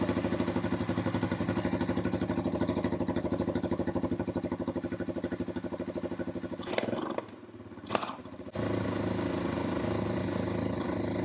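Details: Honda TRX350 ATV single-cylinder engine after carburetor cleaning chugs unevenly, stumbles, cuts out then steadies; runs poorly, won't rev; owner suspects non-stock air filter giving too little back pressure for carb slide to lift, maybe valve adjustment needed.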